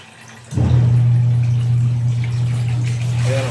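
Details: About six-year-old washing machine that previously agitated very weakly, after belt fix: motor kicks in with a strong steady low hum and water churning evenly; now agitating strongly.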